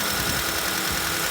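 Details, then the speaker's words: Honda Accord after long storage, accessory belt removed: even, steady idle with no tapping, knocking or squeal; engine runs smoothly, while power steering pump and belt tensioner bearing are suspected noise sources. "mas o motorzinho sereninho cara que delícia"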